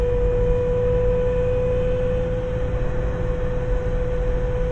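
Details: Toyota Unser driving: a steady mid-pitched drone over road rumble from the rear, changing when lifting off and pressing the throttle, like a pickup or propeller shaft; worn rear axle differential gears.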